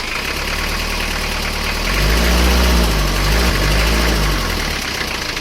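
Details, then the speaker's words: Isuzu Panther 2.3 diesel after new piston rings fixed worn rings and cross-cylinder compression loss (compression rose to 28 bar): deep, even diesel clatter at idle with steady beat and a smooth brief rev; runs healthy and strong. "Mesin sudah hidup."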